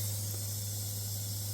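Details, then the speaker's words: Newly installed Waterdrop 600G under-sink RO system, first start-up: steady high hiss over a constant low hum; owner suspects a water leak, possibly a fitting, and blames his own install. "I just don't like the sound of that because it sounds like it's leaking water, so I'm going to look into that and we'll get back to it, but that's my own fault."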